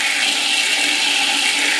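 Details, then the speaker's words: Previously backed-up toilet on a septic line, after plunging, water rushing down evenly with no backup; toilet draining normally, line nearly clear. "but you can probably hear it gurgling a little bit. Yeah, that water's going down."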